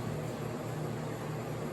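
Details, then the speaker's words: Vintage Sears Coldspot 28 dehumidifier, cleaned and dried, drawing 117.6 V, 5.92 A, about 522 W; quiet steady hum and airy fan rush with steady warm airflow, compressor smooth, no rattles or surging; normal running. "it used to work well enough it's a nice steady Breeze of warm air there's a compressor back there and I'll show the actual touch you can see it's nice and smooth"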